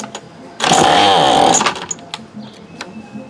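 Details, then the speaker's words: $5 Remington Rustler RM2510 25cc curved-shaft trimmer with spark confirmed, a damaged pull string, and a leaking primer, on pull start: a sharp buzzing burst of about a second that dies at once; fuel not reaching it is suspected. "Well, it tried. It kicked a little there. I don't know if you guys could hear it, but it tried."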